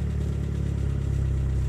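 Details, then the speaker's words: 1989 Geo Tracker after cold start, warming to operating temperature, idle dropping from 1200 to about 1000 rpm: steady low idle with light quick valve tapping, now pretty prominent, valve tapping at idle. "we are now at a thousand rpm the valve tapping is pretty prominent now"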